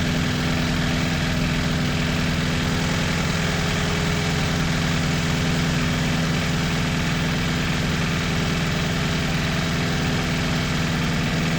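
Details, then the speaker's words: 1986 Toyota MR2 AW11 salvage-yard parts car after the last of many vacuum leaks was fixed: even, steady idle with a smooth low rumble, no hunting or stumbling, rpm holding constant. "And um you know once I took care of that u it started in idle no problem."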